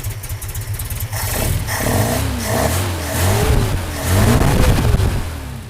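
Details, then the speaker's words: Opel GT with new Weber 40 DCOE carburettor, just started cold: idle hunting and stumbling at about 900 rpm because the added mechanical choke is off. "There we go. So right now the RPMs are at 900. That's because I should have the choke on."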